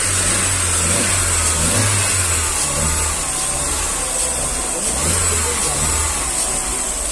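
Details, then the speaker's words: 2009 Astra revving after replacing faulty fourth injector with new Bosch unit; before, a random knock/ping occurred mid-rev, now it picks up and settles smoothly with no pinging or rattle; normal revving. "você prestar atenção no vídeo de ontem você vai ver que tem um toquezinho assim batendo aleatório no meio agora tá acelerando lá não tá fazendo mais"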